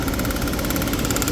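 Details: 1999 BMW 528i after no-start fix (new fuel pump under seat, six new injectors and coils, electrical fault fixed, immobilizer bypassed): smooth, even idle with steady beat, no knocks, misses or stumbles; engine healthy.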